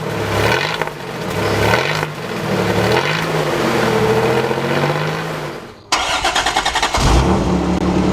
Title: How to fix an exhaust leak